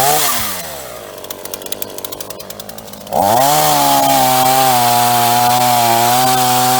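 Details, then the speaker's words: Repaired free roadside Ross two-stroke chainsaw blips at idle then holds a steady high even scream cutting green wood, no bogging or misfire; normal cutting under load. "Well, it ate all that up for breakfast. No trouble at all. And not leaking any fluids."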